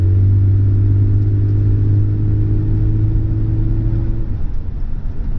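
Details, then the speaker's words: Vauxhall Senator CD 3.0 24V straight-six, parked for months after cutting out and running poorly: very quiet, even low idle hum with no roughness or misfire; fault thought to be water in the ECU. "tell you what how smooth there's anything this is lovely i'm not gonna run around the house in this stead just in case but you can't even hear the engine"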